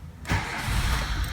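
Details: 2007 Renault Logan 1.6 8-valve single-cam that would not start: short crank catches at once and settles into a smooth, even idle with no stumble, entering the cold cycle; normal cold start.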